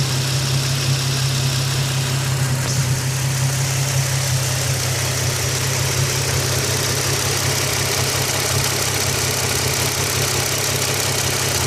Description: Fast ticking noise coming from the top of the engine, Increases/decreases with engine revs, any ideas what it could be?